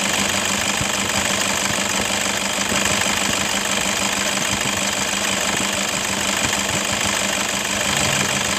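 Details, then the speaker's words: 2011 Toyota Fortuner 2KD 2.5 diesel at idle, complaint of rough engine noise: harsh uneven rattle and metallic jingle over clatter from worn belt tensioner assembly and idler bearing. "oke Guys diri bunyi seperti itu Kasar banget ya Nah ini tersebut itu berasal dari engselnya sama Idol bearing deh Jadi ada bunyi rocker itu Kasar banget dari Tensioner dan juga ada bunyi Gemerincing dari Kidul Benny"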